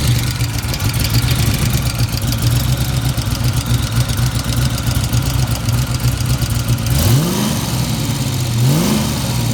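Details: Fox-body Mustang at steady idle with a fast light tapping, then two quick throttle blips; owner unsure whether the noise is rod knock or lifters.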